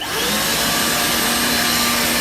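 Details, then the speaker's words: Vacuum cleaner (hoover) after repair: the motor was taken apart, cleaned and its bearing oiled. It now runs with a steady, even high-pitched roar, no rattle, scrape or wobble, sounding healthy. "kind of it sounds a little bit more healthier because i literally took took apart the motor today i've given it a nice clean and now i could use this"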